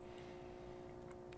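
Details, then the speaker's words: 1970 Hong Kong-made Concerto clock radio with a Telechron clock: with both speakers soldered back in, a low steady power supply hum becomes noticeable. Failed filter capacitor suspected, and all capacitors are possibly bad. "so with both speakers in the hum in the power supply becomes noticeable"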